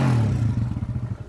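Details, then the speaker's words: TMX155 tricycle single-cylinder engine after overhaul, revved in neutral: thump rises and drops back to an even beat, no whine; timing gear "meow" noise gone, now normal. "Revolusyonan natin. Ayos, wala nang meow-meow."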